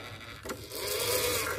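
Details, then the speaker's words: Oki 3000 servo voltage stabilizer, owner reported MCB tripping, carbon brush pressing too hard with gap too wide: small motor whirs with climbing, shifting tone, never settling; servo hunting as carbon brush won't stay stable. "ternyata permasalahannya ini enggak mau diam arang karbonnya enggak mau stabil ya untuk arangnya"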